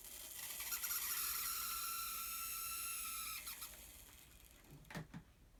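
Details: Fleischmann N-scale 040D locomotive motor: thin, high, steady squeal with a buzzy edge for about three seconds, then dies away; noisy motor squeal.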